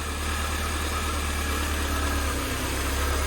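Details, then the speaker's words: 1988 Mercedes 190E W201 just started after its valve stem seals were replaced and fuel was added: a low, heavy idle with an uneven, lumpy beat, running rough and misfiring a little. "still running a little bit rough. But to be honest, it kind of misfiring a little bit."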